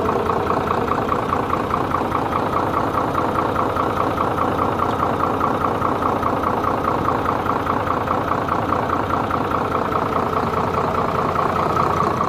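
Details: Hino J08C diesel truck engine, after repair of piston/crankshaft bearing fault with engine fully reassembled, idles with an even, steady clatter and no knock or misfire standing out; sounds healthy.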